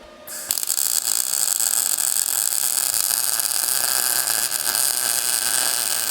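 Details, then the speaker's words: MIG welding next to a '41 Mercury Vega steering box with a small welder: harsh crackling hiss about six seconds with uneven sputter; arc hesitates from poor torch angle because the steering box was in the way. "All right, you could hear the change in the attitude of that weld. Up top, I had a poor angle on it, so that was the sputtering and hesitation because the steering box was physically in the way"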